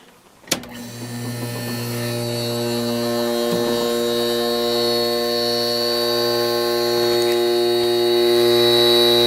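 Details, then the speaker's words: Vintage 1970s Whirlpool 6000 BTU air conditioner with Seeger compressor (likely reciprocating) and GE fan motor: thump as the compressor kicks on, then smooth even hum with refrigerant hiss, about 390 W, fan off; healthy. "I can hear the refrigerant hissing that's our amperage with just the compressor running"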